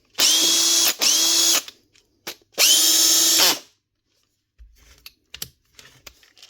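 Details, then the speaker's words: 2017 Makita DHP458 cordless drill after new brushes and gear lever springs (had stopped running and slipped out of gear): two clean bursts of high, even whine spinning up and winding down smoothly; running healthy. "Change them and she get up and running again."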